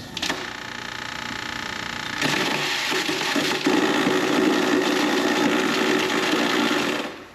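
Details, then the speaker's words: Garbage disposal in a mock-up sink, running with water when three self-tapping steel screws are dropped in: harsh metallic rattling and grinding, then it stops spinning and the motor hums, jammed, until the built-in overload safety cuts it off. "Obviously that's a bad sound. Alright, so now you can hear that it is no longer spinning, but we heard a hum. The motor was trying to spin, it's jammed up, it's not able to do its job anymore."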